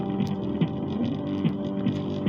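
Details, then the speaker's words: Homemade active speaker, with audio input cable already moved away from power wiring: constant low buzzing drone unchanged by volume up or down or by touching the line-in ground; ground loop mains hum from poor grounding. "Tapi dia tetap muncul suara dengung seperti ini. Kalau kita kecilin, kita besarin, dia masih muncul suara dengung."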